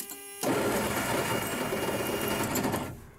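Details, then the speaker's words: U-Haul rollback truck starter, rebuilt and fitted about two weeks earlier, gives a high free-spinning whir for about 2.5 seconds without turning the engine over. The bendix has come apart and is not engaging; the starter needs replacing. "you can hear that the bendix has come apart uh so that means it's time to unhook the batteries"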